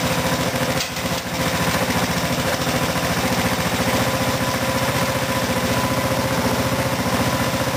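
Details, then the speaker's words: Craftsman mower after fuel tank replacement, test run before refitting top cover: small single-cylinder engine firing in a steady, even beat without misses or rattles; normal running. "And before I put the top cover on here, start it up, make sure it actually runs, and then cut this off."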